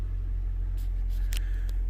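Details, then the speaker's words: 2006 Toyota Prius: the petrol engine finally kicks on and runs a low, steady rumble with no knocks or misses; running smoothly. "So turn your heater on all the way up, or something like that, that's going to get the motor to kick on there. It just finally kicked on."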